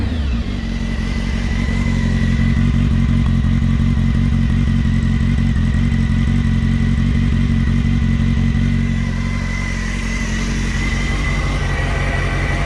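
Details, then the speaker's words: Honda Hornet 600 four-cylinder after cleaning and servicing, idle adjusted: even, steady beat with no rustling, ticking or knocking, and a clean idle after a few throttle blips; engine runs healthy. "zdrowo równiutko idzie Nie ma co udało się go ustawić dość fajnie nie szeleści nie stuka"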